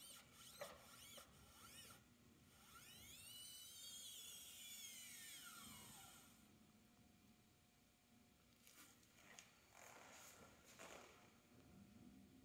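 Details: 2012 Chevy Equinox right-front wheel hub, recently replaced with a cheap aftermarket hub: thin high squeak rising and falling at very low speed or slight rolling in park, suspected hub bearing seal.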